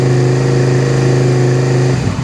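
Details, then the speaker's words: 2001 Suzuki SV650S V-twin, previously running on one cylinder from a failed fuel pump with a hardened, folded diaphragm; after fitting a new fuel pump, at idle on choke: even, steady twin beat with no skipping, both cylinders firing normally. "I can hear it firing on both cylinders still so that's really good yeah that's how it's supposed to"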